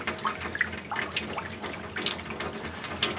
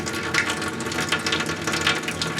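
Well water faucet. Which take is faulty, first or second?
second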